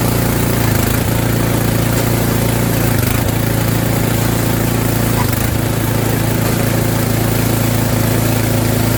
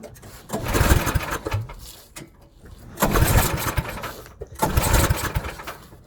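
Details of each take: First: Snowblower's small single-cylinder engine after fresh fuel was added (about a third of a jerry can, suspected out of gas), during auger belt replacement: steady even running with brief speed dips, sounding much better and healthy. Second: Snowblower small engine after auger belt replacement, at full throttle: catches, surges briefly, then sputters and dies three times in six seconds; owner suspects it is out of gas, fuel starvation.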